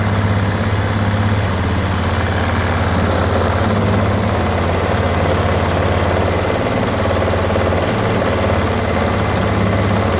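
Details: 2008 Polaris Ranger 500 UTV on a rigged-up, shot battery; owner hopes running it hard will clear it out, cause unconfirmed. Uneven, lumpy idle with irregular beats and dips, fighting to stay lit. Rough idle.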